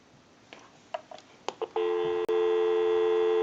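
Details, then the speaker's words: Stromberg Carlson 1543 rotary desk telephone after repair, switched to a real outside line with the analyzer bypassed: a few light clicks at pickup, then a steady, unbroken low dial-tone hum; the line works normally. "That gives us a line out, totally takes the analyzer out of the situation, and we can call a time and temp number. Go ahead and give you some dial tone."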